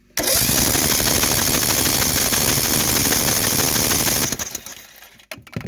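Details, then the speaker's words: Hydrolocked Craftsman lawnmower, spark plug out and fuel line off the carburetor: loud, fast, even cranking about three turns a second with no compression, clearing old gas from the flooded cylinder. "we're going to crank it and push all that old gas out of the cylinder I don't know how much I have to do that"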